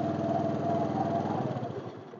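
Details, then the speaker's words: 2014 Honda Scoopy FI that stutters and drains its battery: runs evenly on a jumper battery, then dies within about two seconds when one battery terminal is pulled. There is no charging because of a broken stator wire. "ketika dicabut satu baut satu gambaran aki ini mesin mati ya"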